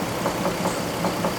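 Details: 2003 GMC Envoy 4.2L, automatic, 4x4, warm idle after 3–4 minutes with the serpentine belt still on, before the power steering pump repair: a light tapping knock about five times a second over the engine hum; origin unknown.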